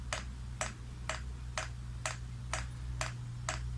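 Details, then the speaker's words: Chinese diesel heater with rotary controller, priming via press-and-hold off button for about 5 minutes: sharp, even dosing pump clicks about twice a second over a quiet hum, gradually getting faster; normal fuel pump priming. "Okay, and you can hear it will gradually get faster, that clicking sound on the pump."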